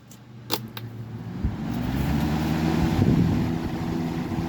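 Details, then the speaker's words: 1994 Lakewood Comfort Edge model 200i box fan (motor rated 60 Hz, 2.1 A) on 122 V, started on high: switch clicks, then a hum building to a steady, even whoosh with no rattle. It runs well and moves decent air. "thing runs pretty good. Moves pretty decent air."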